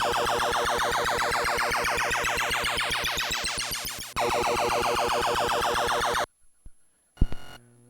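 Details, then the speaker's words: Williams Type 1 pinball/Defender sound board with a modern TDA2002/2003 amplifier; removing the ground from the 1µF 12V filter cap eliminates hum. The test-button siren warble plays clean with no hum underneath. "And so by by removing that ground off that one microfarad filter [music] cap, this is just filtering the the 12 volts coming in. It totally removes all all of the noise."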